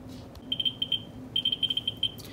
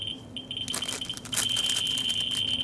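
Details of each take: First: Ludlum 14C Geiger counter with a Ludlum 44-3 gamma scintillator probe, all radioactive materials moved away: sharp high clicks at random, several a second, ordinary natural background averaging around 600–700 counts per minute. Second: Ludlum 14C with a Ludlum 44-3 gamma scintillator near a Petromax thorium lantern mantle on the x10 scale: a dense, fast rattle of clicks merging into a steady high buzz, a very high count rate settling around 13,000 counts per minute.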